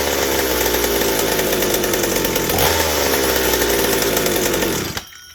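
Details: McCulloch 790 chainsaw frame fitted with McCulloch MC101 kart engine, new header and expansion pipe, 3D-printed intake gasket and carb adaptor, revving flat-out: screaming clean high rev with no burble, won't four-stroke; carb can't deliver enough fuel at high speed, runs lean (suspected).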